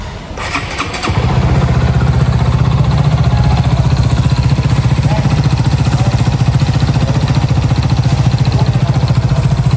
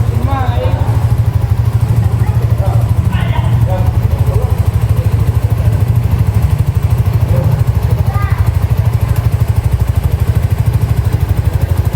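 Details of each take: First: Honda Supra GTR 150 motorcycle engine idling with loud steady rapid knocking from a worn (loose) connecting rod; block and piston found scratched; connecting rod replaced. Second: Honda Supra GTR 150 with noisy engine, after replacing the worn, loose connecting rod and reassembling: an even, quick exhaust putter at idle with a steady beat and no knock or rattle. Engine runs smooth; normal idle.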